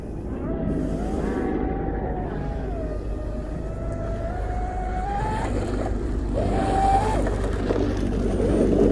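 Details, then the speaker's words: Pro Boat UL-19 30-inch hydroplane on its first run after rebuild with a Castle Creations Hydra XLX2 ESC, Oxidean Marine 4082 motor and SMC packs; high motor whine at full throttle abruptly drops and returns unevenly, a power cut with screeching. "it sounds like a power cut which it is a power cut of some kind"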